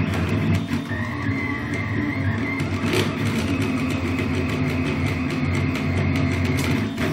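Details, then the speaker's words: Anycubic Kossel delta 3D printer printing hexagonal infill: motors whir and sing over a rough, buzzy vibration from worn arm ball joints with some play; print quality not yet affected, and magnetic ball joints are planned. "fact, one of the few things which start to wear out on this printer are the bow joints of the arms. Some of them have a little bit of play now. And when printing, for example, the hexagonal infill, you can hear this vibration."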